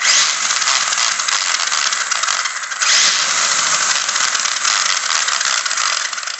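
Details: Savage XS RC truck: harsh, raspy grinding and rattling from the drivetrain, steady with brief dips; the source is unknown and the owner is unsure whether to be concerned.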